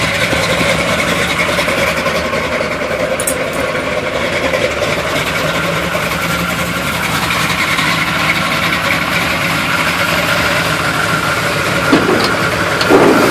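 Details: 1971 Chevy Blazer on a cold start, idling unevenly, the beat stumbling and wavering instead of settling into a steady rhythm; rough idle, cause not yet pinned down.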